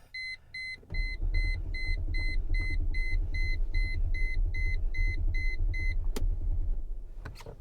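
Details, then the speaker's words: Copart auction car, which has fuel in it, that hasn't been started: a few dash chimes, then the starter churns steadily for about five seconds and the engine never catches. Owner suspects the fuel pump, as no pump is heard; crank no start. "she's not starting is this is this another fuel pump issue i bet it is i bet it is"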